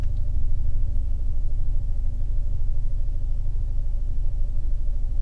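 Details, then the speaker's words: Fiat 124 Spider 1.4L MultiAir turbo, warm after a drive home, checked for a camshaft issue: steady, even low idle at 750–770 rpm, zero misfires on the laptop, exhaust note smooth. "Idol smooth it's idling at 760. looking at the laptop right now misfizer zero and I can tell the exhaust note is smooth"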